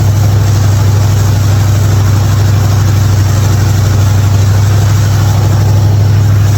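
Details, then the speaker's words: '55 Chevy hotrod V8, long-sitting car, after a spark plug change for popping: deep, steady rumble with even, unbroken beat, no misses or knocks. "Other than that, she fired up good. She's running good."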